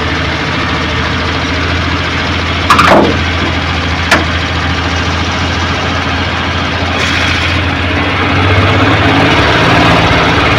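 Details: Suzuki Multicab F6A carbureted petrol engine that would not start, now running after carburetor overhaul and cleaning, float valve and distributor adjustment: steady idle with an even low rumble and a couple of brief throttle blips, runs clean and healthy.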